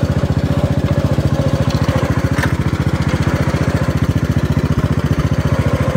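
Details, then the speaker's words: Gravely 432 with rebuilt Kohler K321 single-cylinder engine, idling after only two or three minutes and about 200 feet of driving: a sharp knock develops on each firing stroke; engine to be removed and torn down. Cause unknown. "just here it's starting to knock and what I ran it for just two or three minutes that's it if even two minutes I drove it 200 feet probably and I could already hear it starting to knock"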